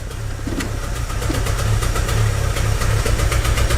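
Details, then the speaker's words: 2006 Chevy Aveo with P0300 random misfire code: uneven, lumpy rough idle with pulsing drone and irregular ticking, worse in Drive, shaking and stumbling at stops without stalling; plugs, wires and coil already replaced. "I don't know if you guys can hear that you hear that rough idle and it gets worse it gets worse when you put it in a dry"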